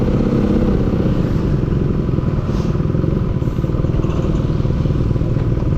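Low, uneven running engine with loose knocks and clatter coming through, roughly under two per second; a knock, cause not identified. Cause suspected, not confirmed.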